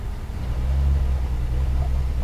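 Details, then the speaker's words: 2009 Honda Accord EX, still misfiring after another shop's tune-up, check engine light flashing, codes for cylinder 2: uneven idle lope with regular stumbles, a constant secondary ignition misfire. "oh, that's secondary ignition miss all freaking day long."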